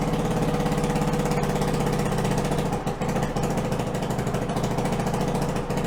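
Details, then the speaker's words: 1974 Honda ATC90 with swapped-in 1972 US90 engine, carburettor refitted with new float inlet O-ring and copper crush washers; small single runs with even crisp beat at idle and picks up cleanly when revved. Normal running. "seems to be pretty good all right guys so after all that where does it leave us with this bike well the engine runs which is good"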